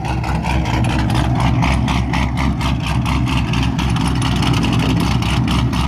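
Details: 2004–2006 Pontiac GTO V8, first start after installing a DW300C 340 LPH fuel pump with no tune; deep, steady V8 burble at idle with an even pulse and no misses, knocks or whine; healthy idle.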